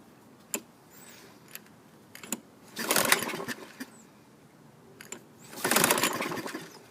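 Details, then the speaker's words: 2000 Toro Recycler 22-inch, 6.75 hp Kohler, non-priming, borrowed recoil fitted, carburetor leaking fuel: two short recoil pulls fading with no firing; suspected fuel loss from carb. "so i'm going to add a little gas just to see if that helps out maybe we we lost all the gas and the carb"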